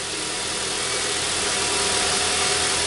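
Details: 2003 Honda Civic after alternator replacement: steady, even idle with a smooth hiss and no knock, squeal or whine; previous noise gone, engine sounds healthy.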